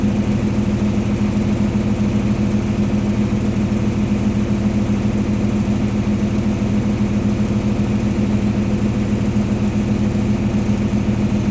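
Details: Flood-damaged diesel engine just reassembled and started for the first time: steady, even idle with a regular low beat and no knocks or misses, running healthy.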